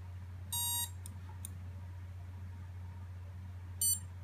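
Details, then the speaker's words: Emax Nighthawk Pro built-in BLHeli ESC in throttle programming mode: short high beeps over a low hum, cycling between one and two beeps. This is the brake type setting toggling between off and on. "now see it change beeps now it's indicating the two types of braking see how it's cycling back and forth between one and two"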